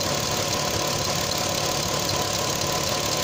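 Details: Audi TT 3.2 V6 at idle: light ticking under two per second from the front of the engine; owner suspects it is not the timing chains; source unknown.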